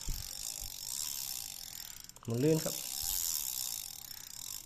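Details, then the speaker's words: Used Japanese vintage Ryobi RX-400GL (U-45) spinning reel with a metal spool, cranked by hand: a fine, even ratcheting click, light and steady with no grinding. The retrieve is normal. "ก็โดยรวมก็ยังดูดีอยู่ครับก็หมุนเดินได้มีเสียงแบบนี้เลยครับ"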